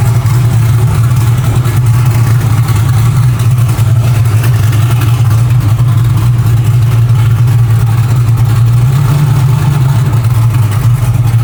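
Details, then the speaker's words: Nova built for methanol, now running on pump gas with a rough tune, still a little cold: deep lumpy idle with uneven, loping beat; rough running from mismatched fuel tune. "Yeah, she's still not running super great. Um, it is on pump gas right now."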